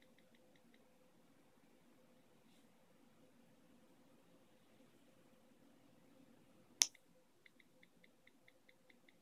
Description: Here is my new ipad air 2 bought in early january 2015, whilst recording unusual keyboard recognition problem, the loud popping sound that I've tried to get on video gets clearly heard.